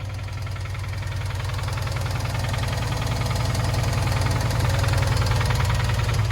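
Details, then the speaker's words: Subaru with second engine failure, towed off the freeway: deep heavy knocking about three and a half per second through the idle in the bottom end, suspected rod knock, unconfirmed. "it definitely sounds like rod knock now"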